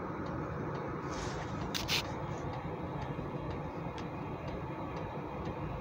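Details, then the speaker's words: Hcalory 8k all-in-one diesel heater, first run, after ramp-up settling down to about 26 W draw from a Baseus power station: low steady fan hum with a light even fuel-pump tick about twice a second; running normally. "right now sounds like it's ramped up and we're settling back down"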